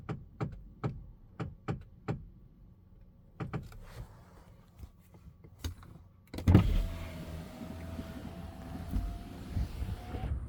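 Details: Tesla Model X, steering wheel clicking noise that appeared after a half-axle noise repair; sharp clicks about twice a second, then a motor whirr; owner suspects steering gear damaged during that repair, cause not confirmed.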